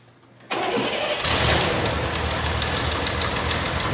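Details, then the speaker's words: Engine in the "Sweet Caroline" build with a huge exhaust leak between the head and the exhaust tube, unfixable without welding and machining; jetting not dialed in and running a little fat. Revving gives a raspy, chuffing exhaust note: exhaust leak, owner says it costs torque. "So I know that exhaust leak is killing me. It's killing my torque, killing my performance."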